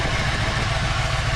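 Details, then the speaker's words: Ford Fox body at idle: a loud, constant airy hiss that swells a bit over the idle. Vacuum leak from an uncapped vacuum port, quieted by plugging the port. "okay if you listen closely you can hear an air leak right see that's capped off there"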